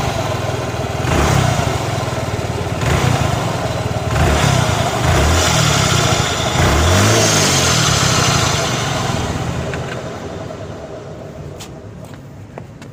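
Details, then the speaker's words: Suzuki NEX scooter before replacing variator rollers, bowl and slider clips: uneven revving surges with a rough, gravelly drone; owner suspects dry final-drive gear oil or a broken clutch bearing; abnormal transmission noise. "มันดังนั้นไม่รู้ว่าน้ำมันเฟืองท้ายแห้งหรือเปล่าไม่รู้คะแล้วก็ลูกปืนครัชแตกหรือเปล่าครับ"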